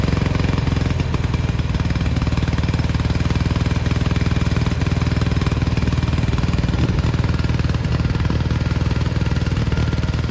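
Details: 1987 Gravely Professional 18G riding mower, Kohler Magnum 18 hp, original carburetor: low, slightly uneven thumping beat as the carburetor linkage moves itself without throttle input; surging from a carburetor out of adjustment.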